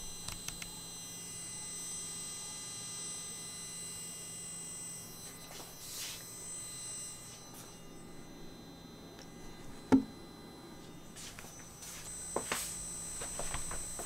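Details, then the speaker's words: F&D T60X tower speaker with volume muted or very low; faint, steady low hum under a quiet room, an idle hum from the speaker itself. "so what the only problem which I feel about the speaker is this let me show you now can you listen this humming sound"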